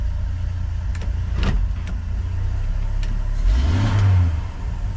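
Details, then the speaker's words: 1981 Ford truck, two-barrel carb, hot engine after a hot restart, following PCV and evap canister work: a steady low drone with light clicks, idle a little high but fine in drive, running smoothly. "Uh, I think we're doing pretty good. Idle's a little high, but in drive that idle's not bad."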